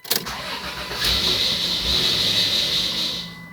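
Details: 1996 Dodge Grand Caravan SE 3.3 V6 FWD automatic: cranks and catches, shaky idle a few seconds, then dies; owner suspects clogged fuel filter or unflashed replacement computer cutting injectors; engine light flashing.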